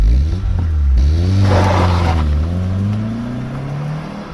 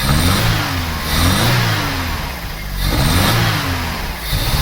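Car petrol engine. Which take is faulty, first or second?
second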